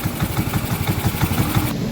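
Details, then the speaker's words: Yamaha Mio M3 scooter, heard from below, after throttle body cleaning (before ISC reset): it now idles where it previously wouldn't, but the idle is irregular with uneven, wandering pulses, making the engine sound rough; check-engine light doesn't show; rough irregular idle. "Tapi kalau tadi motor ini tidak mau langsam, sekarang sudah bisa langsam, tapi langsamnya ini tidak beraturan, yang mengakibatkan suara mesin kasar."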